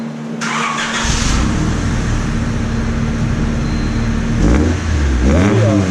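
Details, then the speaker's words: Honda Civic with stock muffler, before aftermarket muffler install: steady, even low-drone idle with two clean rev blips rising and falling smoothly. "1990 707 guys we're gonna install up a muffler on this this is what it sounds like now"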